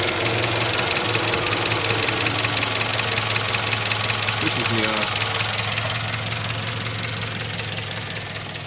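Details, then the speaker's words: 2007 Chevy Avalanche 5.3 AFM V8 after AFM lifter replacement and new plug wires, at idle: a light, steady tick about two or three per second, heard by stethoscope near cylinder 3 and elsewhere. The ticking is worse than before and a lifter is suspected. "Ticking. I put my stethoscope on it and it sounds like it's right in here. Over here too a little bit."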